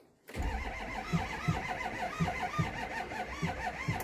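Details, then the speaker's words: 2006 Ford 6.0 Power Stroke diesel truck, crank-no-start: starter drags the engine over slowly and unevenly, two or three labored strokes a second, never catching; batteries are dead, with only 30 PSI high-pressure oil built while cranking. "Jesus Christ batteries are dead"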